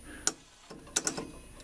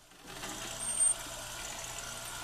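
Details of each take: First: Rock-Ola 445 jukebox record changer in operate mode; it scans fine on scan. Sparse, uneven clicks and ticks with stalls in between; the mechanism stutters, apparently losing power at certain positions. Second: Rock-Ola 445 jukebox switched to operate mode. A steady low motor hum for about five seconds, then a clean stop with a click as the carriage returns to the home position; normal.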